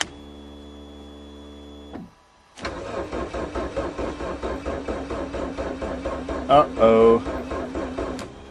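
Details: Geo Swift cold start in March with stale fuel and makeshift ignition wiring, battery weakening: starter cranks steadily at about three to four compression beats a second for several seconds without catching; cranks but won't fire, cause unconfirmed.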